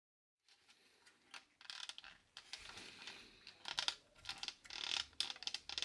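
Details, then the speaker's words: BMW F10 5 Series dashboard piano black trim gives irregular dry crackling and creaking bursts, e.g. in sharp turns; loose plastic trim, fixed by removing the trim and gluing with epoxy. "besides me breathing like darth vader you should be hearing the creaking sound that the piano black trim the dash for the bmw if that is doing"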